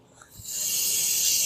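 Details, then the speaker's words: Sharp steady hiss about a second from car tire valve stem as pressure gauge is held cocked rather than square to the stem; tire low at 30 PSI. "air's coming out. You want to make sure that you hold it on square to the stem. You'll feel it when it's right and you won't hear any air leaking out like that."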